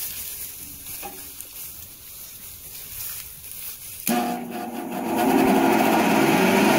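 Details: Shredder (trituradeira) after making its new bottom cover, checked that the rotor no longer catches the lower plate: quiet at first, starts at about four seconds and spins up to a steady, even roar, running smoothly. Normal running.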